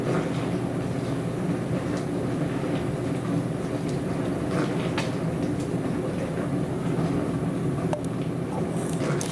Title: More noisy dishwasher